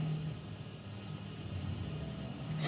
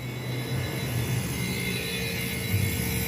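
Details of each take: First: DF51 refrigerator after repairing a noisy compressor (motor) and charging with R600 gas to about 3–4 psi: a low, soft, even hum with no knocking or rattling. The compressor runs quietly and perfectly, and the condenser grille is warm. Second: DF51 household refrigerator, heard from behind after compressor replacement with correct refrigerant charge: constant loud drone with a steady mid-pitched hum like a four-door commercial display cooler; wrong compressor fitted, still cooling but far too noisy.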